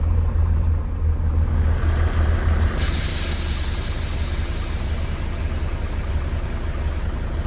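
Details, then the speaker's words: 1999 Mercedes Vario 612D truck, 12V air compressor after replacing failed stuck-closed cut-out pressure switch (12 bar cut-out): handbrake cycled, compressor cuts in with low even pumping thumps, then clean four-second purge hiss; normal cut-in and purge after repair. "I'm just going to cycle the handbrake a few times to make sure it cuts in. So compressor's cut in."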